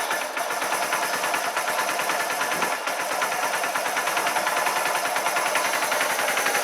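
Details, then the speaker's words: RKV motorcycle project, started without choke after a cheap fake aftermarket exhaust was replaced, warming up: rapid, even exhaust pulses at steady idle with no knocks or misses; normal idle, though it later cuts out and needs choke. "Okay. Sounds better. That warm up, that started on no choke, which is encouraging. I'm just going to let that warm up a little bit."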